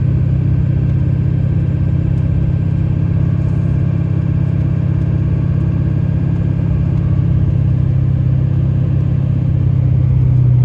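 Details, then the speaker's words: 2006 Chevy Silverado 3500 4x4, 6.6 Duramax diesel, 25k miles, test drive uphill: steady drone pulling evenly with no revving flare or thump between gears; automatic transmission shifts through all gears flawlessly. "Runs through all the gears flawlessly."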